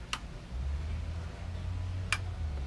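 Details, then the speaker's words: Maxwell windlass (about 20 years old) swapped in for an old Good windlass on a Chris Craft Commander 410, fed by battery cables through a 150 A auto-reset breaker: raise button pressed, low steady motor drone with sharp clicks, motor spins but chain not driven. "so it didn't want to raise so hit the race button now i hear it it's spinning ain't going down"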